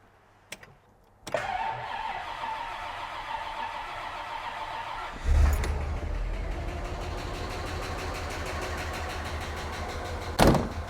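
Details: Bentley T started after sitting a few months, cold start mechanism deliberately not triggered; starter cranks briefly, engine catches and settles into a fairly quiet, steady idle, quieter than before; owner suspects the rear brake pump has a snapped rod — normal cold start.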